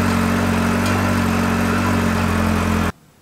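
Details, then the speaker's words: Yamaha XJR four-cylinder, after leak repairs, carbs synced and idle adjusted: smooth, even idle with a low burble and no puffing or ticking at the headers, then a clean shutoff. The earlier noise is gone. "normalement démarre au quart de tour nickel il y a plus ce bruit donc il y a plus qu'à prier que ce soir il y ait pas de goutte d'huile par terre"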